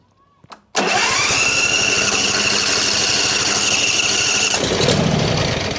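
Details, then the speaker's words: John Deere Z355E zero-turn mower, dusty non-runner: catches at once and races to a high steady whine, then falls away after seconds; overspeed, governor not holding, caused by a broken governor gear needing engine teardown. "Yesterday after I turned the camera off, I was trying to figure out what's going on because it's starting, you know, but immediately goes to high speed. So, it's usually the governor needs adjustment."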